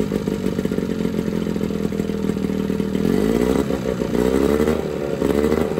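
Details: Johnson 9.9 two-stroke outboard (kicker motor) after a carb kit rebuild and new plugs gapped to spec: even buzz at fast idle, then revs pick up smoothly around three seconds, pretty quiet; runs clean and steady, normal.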